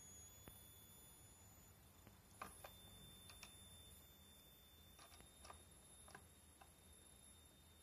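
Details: 5A MPPT solar regulator YH11087A, 60 Wp panel input (~17.5 V optimum), 12 V 55 W H7 bulb load, output 12 V, MPPT ~19.5 V: raising output current limit from ~0.77 A (current capped ~1.53 A) produces steady ~7 kHz coil whine.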